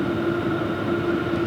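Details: New Vevor diesel heater on setting 6, about 400 °F at the outlet tube: steady even roar with a constant mid-pitched hum and faint higher tone, no surging or popping; burning cleanly at full output.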